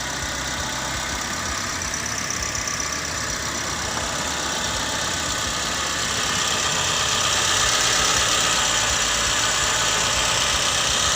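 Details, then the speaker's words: Car engine idling evenly with a light steady tick and hiss, no misses or stumbles, after a weak (soak) battery that could not crank was revived; started easily after ignition was left on about 5 minutes; normal idle. "Ya, mesin menyala. Ternyata berhasil. Cukup top chair tadi nyalanya."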